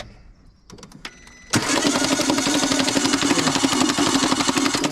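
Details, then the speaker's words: Renault Clio with a snapped timing belt, believed to be an interference engine, new starter motor fitted, has been overheating: starter spins fast and even about four beats a second with no compression pulses and no catch. "Time belt snapped. Try and turn her over, Chris. Let's have a listen to her. I think these are an interference, and you think they smash head when they do."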